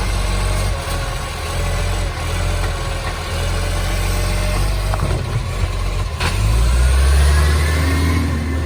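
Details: Garbage truck SL070 on green waste collection: deep, raspy idling diesel roar with a chuffing pulse about four times a second and an air-brake hiss; massive exhaust leak.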